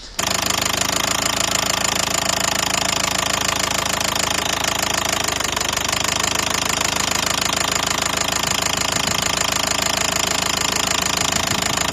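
Diesel idling with a hard, steady top-end knock near three per second that stays unchanged as injectors are cut; cam timing has jumped.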